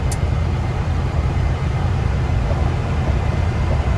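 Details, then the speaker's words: Truck cruising in third gear at about 1800–2000 rpm after swapping the Eaton axle with 4.56 gears for a 14-bolt with 3.73 gears: deep steady road rumble with no differential howl or whine; much quieter and smoother. "the truck is so much quieter it's crazy this is definitely worth it it runs so much smoother that is amazing"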